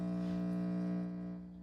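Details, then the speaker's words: 6J1 tube preamp kit with volume turned all the way up, powered by the noisy supply: steady low hum with a few fixed tones that fades slightly; power-supply ripple (120 Hz) leaking into the audio. "Okay, this is the noisy supply. And you can hear it already."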